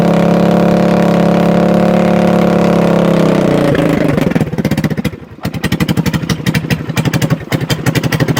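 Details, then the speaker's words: 2021 Kandi Batman go-kart, new-used, cold-blooded: long steady drone then uneven stumbling firing near four beats a second, starting without starting spray but never settling; hard starting, rough running. "It's starting without the spray. So cold-blooded. It lives!"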